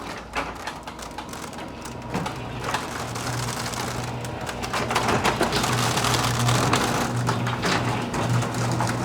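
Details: Garage door running with a busy, uneven clatter of rattles and clicks over a low motor drone, before fitting nylon rollers and roller stem sleeves; rattle mostly comes from the roller stems.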